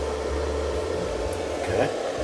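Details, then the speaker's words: Camper/motorhome converter-battery charger after replacing faulty unit: even fan whoosh with steady hum, no rattle or scrape; new converter's cooling fan running normally, fixing the charging problem. "you can hear it running. So it's working."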